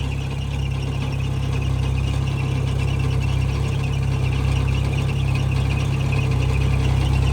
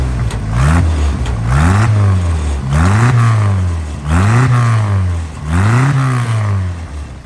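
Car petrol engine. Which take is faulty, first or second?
first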